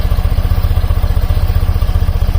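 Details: BMW airhead twin after valve cover silicone gaskets, valve adjustment check, timing check and carb synchronization: low, even putter idling around 830–850 rpm, evenly spaced pulses, no lope or hunting, both cylinders pulling equally; smooth, balanced normal idle.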